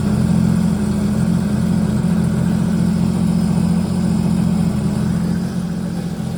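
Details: Sea-Doo GTR 230 jet ski after renter damage (overheated, flooded engine, melted water resonator), repaired with the resonator bypassed: loud, deep, steady exhaust burble with an even beat, no misfire or rattle; runs healthy, exhaust throaty.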